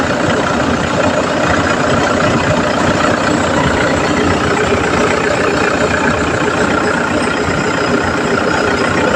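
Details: Car idling with the air conditioning on after replacing the AC compressor magnetic clutch assembly; steady, even idle with no grinding or chatter, the earlier noise is gone.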